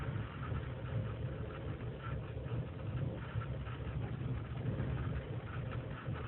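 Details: 2003 GMC Sierra Z71, 5.3L V8 non-flex fuel, cold start after overnight in single-digit temperatures, idling unassisted: low uneven sagging idle, RPM dips to 500; lean and misfire codes, owner suspects intake gasket vacuum leak.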